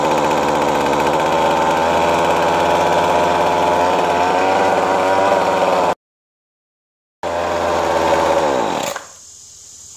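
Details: Weed Eater FeatherLite FL25C string trimmer after carburetor replacement (previously ran only on full choke): strong steady high-pitched buzz holding revs without surging or dying, then cuts out cleanly; normal running.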